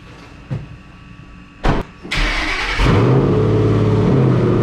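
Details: Ford Mustang GT V8 with cold air intake, Kooks long tube headers, high-flow cats and Roush muffler deletes, before cam/intake/throttle body install: cranks, catches and settles into deep, even, loud burbling idle with no knocks.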